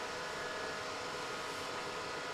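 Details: Bluetti AC200 Max power station, fans loud from switch-on: steady high airy rush with a faint tone at full speed for no reason. A faulty temperature sensor is the cause. Fans at full speed from faulty sensor.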